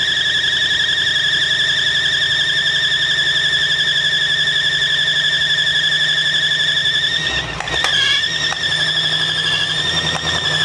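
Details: 1965 Mustang GT convertible after replacing belt and fitting Tuff Stuff 7068K 140 A alternator: constant shrill one-pitch squeal over low idle; belt drive suspected (earlier suspected alternator bearing or pulley), source unconfirmed.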